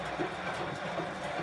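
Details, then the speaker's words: 2015 Bosch Classixx 6 Varioperfect WAE24167UK/47 washer, motor repaired (commutator ring and brushes) after it wouldn't turn, quick wash: low even rumble with soft rhythmic clatter as drum turns; motor working normally. "excellent that's a success"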